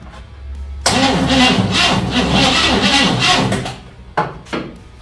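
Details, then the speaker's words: 1956 Chevy Nomad that sat over two years, cranking on a junk battery that dropped to 108: laboured chugging cranking at three to four beats a second with no catch, and the starter wire gets hot. Needs a new battery. "hopefully a better battery draw too much draw for that bad boy let that cool off a second that wire gets a little hot when it has to draw so much need a new battery"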